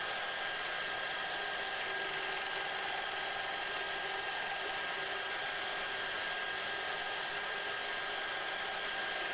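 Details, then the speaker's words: Lathe spinning short steel rod pieces under increasing pressure with TriboDyn-treated oil, shaft heating and smoking: steady, high, even whir holding constant speed without chatter or squeal; the shaft still spins freely, normal running under load. "at this point the shaft speed has not changed continues to spin freely"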